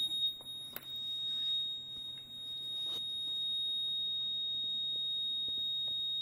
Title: YR1035+ Battery tester keeps beeping